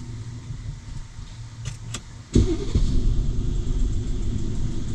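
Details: Mercedes W222 with random misfire, shaking, weak power and rough shifting: brief crank, then a lumpy, uneven idle with shake; scan shows frequent continuous misfires on several cylinders.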